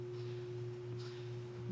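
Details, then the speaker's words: Home-built Mustang-swap Shelby Cobra at idle, throttle blade 100% closed: thin, steady high whistle over quiet idle; air whistling through intake, possibly the IAC, unconfirmed. "Which you could definitely hear it whistling. I don't know if it's just because of the IAC."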